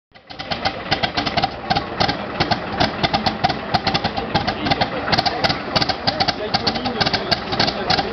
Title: M22 Locust hard start